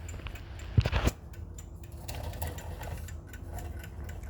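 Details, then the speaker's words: Waterbury Spasmodic alarm clock after repair of a worn balance arbor and balance cups: brief handling clatter, then a light, even, steady tick; the movement runs normally. "so at the moment this clock here is running well fantastic as you can hear it's ticking"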